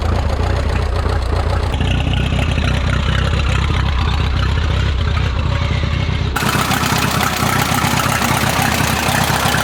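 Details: Rebuilt Minneapolis Moline 335 tractor engine after restoration: uneven, lumpy putting with irregular beats and a sudden change partway through. Owner says it isn't firing right and needs tuning, maybe a slight timing change; tappets were readjusted warm.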